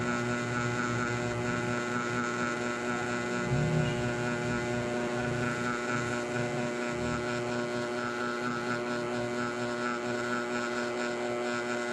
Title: noisy sound with my mini ceiling fan kss